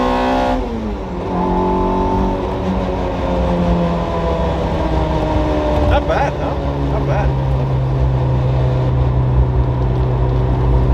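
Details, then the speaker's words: Toyota MR2 Spyder (ZZW30) freshly swapped with 2ZZ-GE, untuned with imperfect AFRs, first road drive: engine drone climbs with revs, then hardens and turns raspier as VVTL-i high-lift cam engages. "You can definitely hear when the lift comes on."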